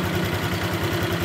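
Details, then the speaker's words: Honda Vario 150 FI (2021-present) scooter idling, heard at the middle of the main engine: an even low pulsing beat with a slightly coarse, gritty mechanical edge, the rough engine sound typical of this model. "ke bagian mesin utama Tengah ini motor-motor yang bertipe Vario 150 FI keluaran tahun 2021 sampai sekarang ya berarti artiannya Vario terbaru itu suara mesinnya sedikit agak kasar ya di bagian mesin utamanya"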